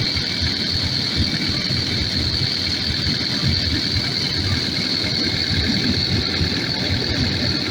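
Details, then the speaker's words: Takeuchi TL12V2 diesel at -30°C after diesel additive and key cycling; steady idle, even low rumble and constant high fan hiss, no stumbling over eight seconds, longest run so far; owner suspects gelled fuel, possibly tank pickup screen. "well this is the longest it's run so far"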